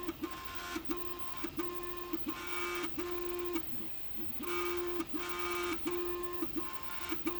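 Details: Prusa MK3S+ 3D printer: loud, buzzy motor whine in short start-stop moves, a few per second, each ending in a sharp tick; unusually noisy, cause unclear.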